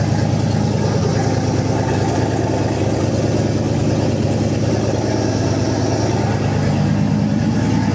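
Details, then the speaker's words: Boost-ready 5.3 LS V8 on E85, swapped into a 240SX S14, first start in a cold shop, oil pressure about 65 psi: a deep, even idle burble with no knocks or ticks. The engine sounds good and runs smoothly. "oh baby she sounds good we'll go ahead and put it through the gears make sure everything's happy there"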